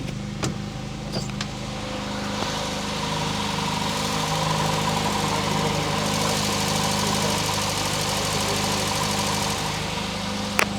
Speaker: but it sounds really nice and remember this car got 86,000 km on the clock